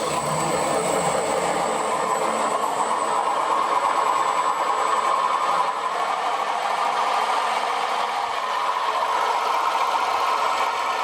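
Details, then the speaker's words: Short-stroke sprayer pump after its bearings were cleaned and regreased: a steady whirring hum with a faint rough edge; it turns freely, and the rusty bearings have no water seal and no play, so they are just slightly noisy. "Ideally I should replace those bearings, but there's no play or anything in them, so they're just noisy. It's not much of a bother."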